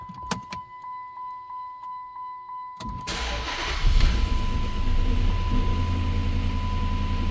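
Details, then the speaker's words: 2007 Chrysler 300C 5.7 Hemi V8, sat 6–7 years, previously stuttering and not firing on all cylinders; after new fuel pump and cleaned injectors, on jump box: slow cranking, catches, settles into smooth even idle, no miss; normal start. "Oh yeah, she running. She running smooth now. Oh yeah."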